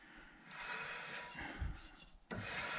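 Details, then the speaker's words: Rotor with built-in parking brake drum, just installed with lubricant, hand-spun: light dry scraping rasp as the drum rubs slightly on the inside shoes. "can hear the drum basically rubbing on the inside a little bit."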